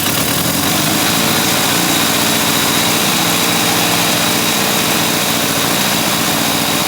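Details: Honda CA160 Benly, carburetor needle and seat refitted and adjusted, running from auxiliary tank with premium fuel: small single idling fast and steady with light buzzy patter, no misses; normal idle.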